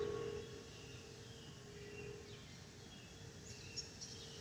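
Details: Delta Airbus A320-212 N353NW in cabin: faint steady mid-pitch whistle holding constant over the quiet cabin hush; the normal harmless A320 FOPP whistle.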